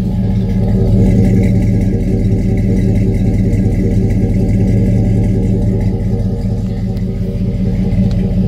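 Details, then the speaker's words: GMC Yukon at salvage auction: deep, steady burbling exhaust rumble at idle with slightly uneven pulse; aftermarket muffler exhaust note. "It's definitely got an aftermarket muffler. Listen to this."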